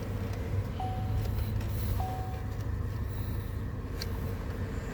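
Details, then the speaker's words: 2009 Impala (9th gen) after replacing two blend door actuators, engine idling: modes cycled with only two brief chimes and no clicking from behind the dash. Normal HVAC actuator operation. "let's go ahead and start this we're going to run it through the modes no clicking"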